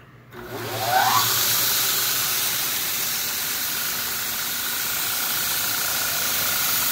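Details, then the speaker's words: Scratch-built KMG 2x72 clone belt grinder test run: after quick spin-up settles into an even, steady belt hiss with no knocks, wobble or vibration; runs smooth and healthy. "smooth very quiet no vibration all you can hear is the belt going around pretty nice unit"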